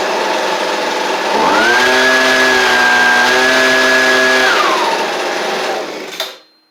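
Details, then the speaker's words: Husqvarna 125B leaf blower two-stroke after fitting a Hipa replacement carburetor kit for a no-start, started on choke: spins up to a clean steady high whine, then winds down; healthy, slight adjustment possible. "Could have, a tiny bit of adjustment that could be done with it, but all in all, that's pretty good out of the box."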